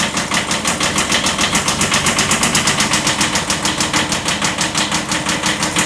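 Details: 1979 Kubota B7100 tractor at idle: fast steady ticking knock about six per second over diesel clatter; slight rod knock.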